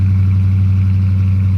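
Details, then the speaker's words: Bone stock 2020 Dodge Charger R/T, V8 (5.7 HEMI per title), just after a cold start: a deep, steady rumble at raised cold idle, firing evenly with no ticks or knocks. Healthy engine warming up. "I hope one of you can hear this on video, but this thing, bone stock, sounds very, very good."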